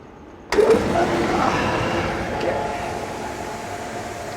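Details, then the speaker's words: EasyRoute CNC router vacuum table, water-fed pump switched on with valve open and spoilboard sealed with silicone: pump kicks into steady roar with an airy hiss under it; vacuum leaks past the spoilboard seal, to be resealed. "Okay. So right now you can hear that there is a shh sound like my mom when I was growing up forever sh. So we need to go find those things and snub them out."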